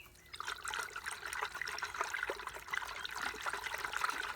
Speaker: When you find brake fluid mysteriously disappearing in your system, and you can't see it leaking from any of the wheel cylinders or any place normal that you ordinarily look, it's got to be going into the booster. And let's see if you can hear this one swishing full of brake fluid.